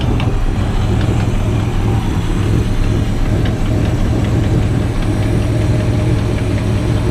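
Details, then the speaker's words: Classic car just acquired, first start with water added to radiator: low, even tickover with steady rumble and no misses, knocks or stumbles; not smoking, idles smoothly. "She's ticking over."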